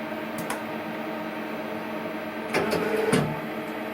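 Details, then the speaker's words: Hardinge CNC turning centre turret after strip-down and reassembly of hydraulic valves and index motor: steady motor hum, brief rising whine and loose clatter as the turret spins round continuously instead of indexing and locking. "uh-uh yeah now it shouldn't be spinning round and round and round like that tight up against the housing"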